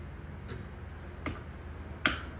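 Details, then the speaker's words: 36 V EZGO PDS golf cart that won't run, battery at 39.98 V, key on, forward selected, accelerator pressed: sharp single solenoid clicks with no motor hum following; solenoid clicks but motor does not run, faulty motor suspected. "The solenoid's clicking down here. You can hear it click when I press the accelerator."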